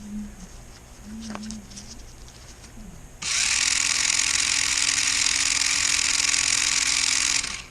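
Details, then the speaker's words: 1994 Lionel RS3 Happy Holidays (6-18837) motor right after oiling where the axle shafts rotate, before adding super lube: steady, even high whir with a faint constant low note, no catching or grinding; sounds nice, spinning smoothly. "Sounds nice."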